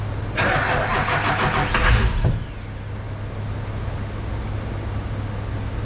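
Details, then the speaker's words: Airport limo's first start after front-clip paint work: starter cranks, engine catches and roars about 1.5 seconds, then cuts out abruptly; owner suspects anti-theft, only the lift pump was rewired. "Sounds like it's starting, right? And then it's immediately shutting it off. Yeah. To me, that sounds like anti-theft."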